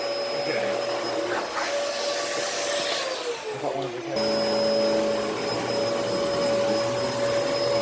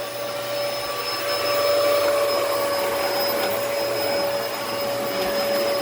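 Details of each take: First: Early Dyson DC14 All Floors vacuum: motor spins up and holds a smooth, steady whine with no surging; fault was a filter latch out of place, brush roll still slightly weak. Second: Dyson DC14 All Floors in bare-floor mode: steady high whine over rushing airflow, motor sounds strained and very unhappy; airflow duct/filter latch piece sitting out of place suspected.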